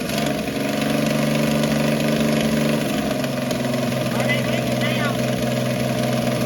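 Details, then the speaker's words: 1965 Ford Falcon six run from a gas can after sitting for years, smoking heavily at first: settles into a steady, fairly even idle with rhythmic low chug, no knocking; running well. "We did get the thing running, and you'll hear it here in the next few seconds here. If you'll hang in there with me, the old thing actually was running pretty good."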